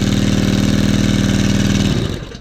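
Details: New Brownie Third Lung Explorer 390-X hookah dive compressor (F390X-H, Honda 5.5 four-stroke), first setup, started with the downtube unhooked to avoid compression: smooth, even small-engine beat holding steady speed without a miss, then winds down cleanly; normal running.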